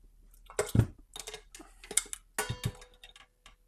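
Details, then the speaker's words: Old Fender tube amplifier, barn-find condition, first power-up into a load after checking fuses: irregular crackles and pops in uneven bursts over a quiet hum; very crackly output, cause not yet known. "audio that's unbelievable very crackly very"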